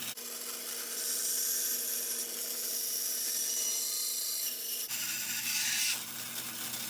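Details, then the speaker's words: Bandsaw cutting a curve in wood, the blade reluctant to turn tight: steady high motor hum under a hissing cut that changes pitch as the blade works the curve; saw cutting normally. "okay so you can see as I started to make that curve that blade doesn't want to turn tight like that"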